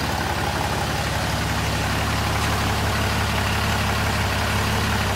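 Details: Ram 6.7 Cummins with codes P2262/P226B: first cold start right after swapping the factory VGT turbo for a fixed-geometry Smeding Diesel kit. Deep, even diesel clatter at steady idle, no misses, hiss or turbo whistle; normal idle.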